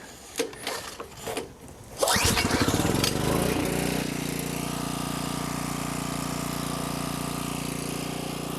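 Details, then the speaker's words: Homelite 1800 W generator, Subaru engine, revived after about 12 years unused, warm start with half choke after speed adjustment: catches after a few pulls, settles into a steady, even run without misses or knocks. "Ideally, you're looking for 120 and 60 hertz. So far, I'm happy with the way it was running."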